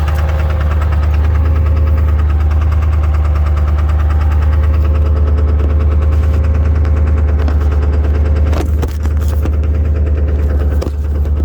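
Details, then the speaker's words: 7.3 diesel truck, very cold start without being plugged in, heavy smoke: deep rumble with a steady knock about three times a second, running rough; owner suspects gelled fuel, not confirmed. "almost acts like it's the fuel's gelled up on it or something i put 40 dollars in before i parked it that sounds exactly like jailed fuel i bet it is"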